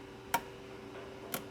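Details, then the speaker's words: Chevrolet Traverse after P0449 EVAP vent valve circuit repair: two crisp clicks about a second apart as the scan tool switches the vent solenoid on and off, sounding normal; the code no longer returns. "now the soleno is clicking so our solenoid is somewhere up here I'm gonna turn it on and off with the scan tool so just listen to that clicking noise"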